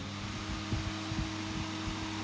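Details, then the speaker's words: HP 8672A instrument fan after a blade repair, lubrication and reassembly, bench-tested without its cover: a steady, smooth hum with soft thumps from touching the table, no rubbing or ticking. Runs fine. "yeah of course we have a bit of noise because it's touching on the table that's running smoothly success"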